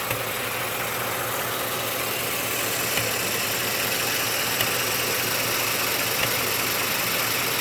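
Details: Ford F-150 5.0 V8 at steady idle: a few isolated knocks popping through every second or so, going away and coming back; intermittent knock, source unknown.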